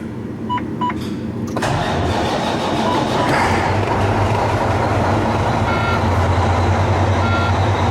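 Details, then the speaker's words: Volvo VNL diesel truck started in a cold, closed shop after replacing the exhaust pipe from the turbo. A door chime sounds, then it cranks, catches quickly and settles into a steady idle with no exhaust puffing or rattles; normal start. "we'll crank this thing up see what it sounds like we've got the exhaust fixed on it"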